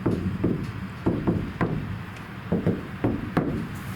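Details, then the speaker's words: Iveco Daily ex-fridge van being converted to a camper: a body panel tapped after applying butyl sound deadener. Dull knocks fade fast with only a brief ring; the panel rings less than before, so the deadener has damped it. "not too bad. Not better than it was. Not better than it was. Doesn't ring that panel so much."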